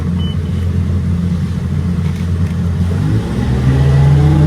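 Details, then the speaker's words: Volvo Penta 4.3 in a runabout, repaired for lack of power, previously popping and limited to about 4000 rpm: strong steady note climbing smoothly at half throttle under planing load, no popping or stumbling; healthy pull. "oh she's a rocket that's half throttle"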